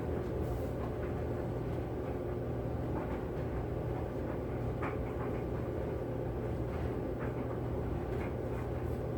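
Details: Kenmore 80 Series electric dryer after motor replacement, running with wet towels on cotton cycle; even low rumble with soft tumbling thumps and no squeal or scrape, drum turning smoothly; normal running.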